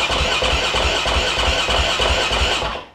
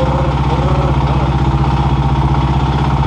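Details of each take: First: KTM 530 EXC supermoto single-cylinder, first start after piston change rebuild: fires and settles into even crisp beat about three pulses a second, no knocking or rattle before shutdown; sounds good, normal running. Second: KTM 530 EXC supermoto single-cylinder, first start after piston change, cold: idling about four beats a second with light tapping on each firing pulse; riders note it knocks, maybe as before; slight knock, cause unknown.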